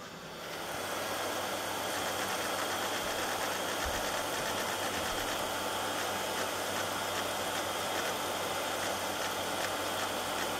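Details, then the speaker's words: Hard drive in a custom-built Pentium 1 PC during a SpinRite scan of a defective region: a dry click repeats three or four times a second over the spinning hum as the drive seems to reset and then read the bad sector; owner suspects failing heads. "it sounds like that sounds like the drive resets once and then is able to read the sector so failing heads not sure"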